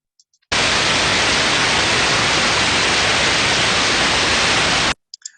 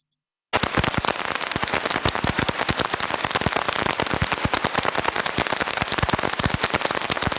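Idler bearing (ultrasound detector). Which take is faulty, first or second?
second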